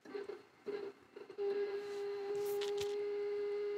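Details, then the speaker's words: FLSUN S1 Pro delta 3D printer: steady mid-pitched hum after a few soft clicks while sitting idle, the ghostly holding noise typical of its closed-loop stepper motors; normal. "one downside to these Clos Loop steer Motors is this ghostly noise you"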